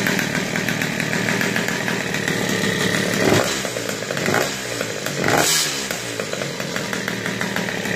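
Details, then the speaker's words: Tomos or Peugeot two-stroke moped, just started with a replacement air filter: buzzy, fast, uneven running with a thin metallic rattle from a loose spring vibrating. "c'est le ressort de pleur qui fait du bruit qui"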